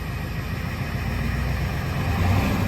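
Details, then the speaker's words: 1990 Ford F-250 7.3 IDI diesel, restarted after 3 years once fuel was bled and weather warmed; low, steady diesel clatter at an even idle, running healthy. "basically I started cranking it over and I think the warmer weather was kind of what it needed, and now we're running again."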